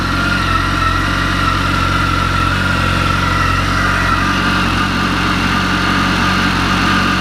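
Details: Kawasaki ZX-14/ZZR1400 four-cylinder idling cold after fitting a mechanical cam chain tensioner for a knock; steady, even idle, no tapping on top yet, owner needs to warm it to confirm.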